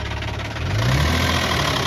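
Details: Infiniti G35 engine revving over a deep, uneven low thumping that rises with the revs, pointing to a worn rod bearing; rod knock.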